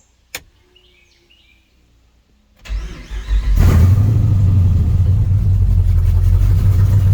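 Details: Truck that stalled from debris in its fuel lines, started after injector cleaning with fuel turned on to fill the rails: brief cranking, then it catches and settles into a steady, even low rumble with no misses; normal start and idle.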